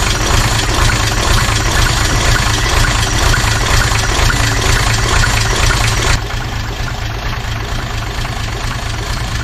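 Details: Toyota 2H turbo diesel in a Jeep idling lumpy at about two beats per second. Cracking the injector lines changed the back five cylinders but not number one, so the fault is in number one cylinder.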